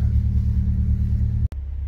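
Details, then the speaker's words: Petrol engine left idling a long while at the back of the workshop to recharge a flat battery and dry out damp; steady low thrumming idle, even rhythm, no knocking: normal idle. "You can hear it. I'll miss that sound, the sound of the thrummy Dom right down the back of the workshop there."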